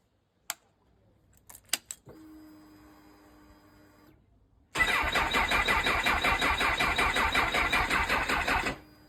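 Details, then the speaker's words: Honda CB1000R with Dynojet system, owner's phone clip after collection: short crank bursts, then catches and runs about four seconds with quick even pulses before dying; intermittent no-start. "So, in the clip, you see he's trying to start it. The first time it wasn't cranking long enough, I don't think. And then the second or third time, it did start for a few seconds."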